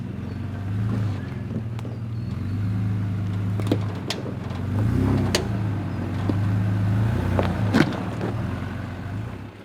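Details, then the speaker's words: 4x4 on a rough Sundown National Park track with new suspension but original radius arm bolts; low engine drone with heavy irregular front bangs; owner suspects loose radius arms, bolts possibly stretched so they clunk however tight, may need new bolts. "No matter how tight you get them, they just always end up clunking and clanging. Because I got new suspension, but you don't get new bolts with it. It's the original bolts."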